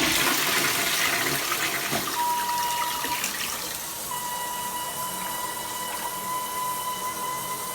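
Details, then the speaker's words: After flushing, a steady high whistle holds over the rushing water for about 20 seconds as the tank refills; only this toilet does it, fill valve singing, cause not pinned down. "Yeah, that's the noise it makes. Yeah. So you flush the toilet, it does that noise for like 20 seconds."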